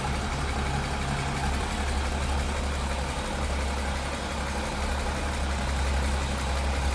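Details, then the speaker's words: 1953 International L-120 pickup with single carburetor, idling: deep, even rumble holds steady for seven seconds with no misses, knocks or hunting. Smooth, healthy idle, purring. "a smooth runner. Sounds good. Pretty cool."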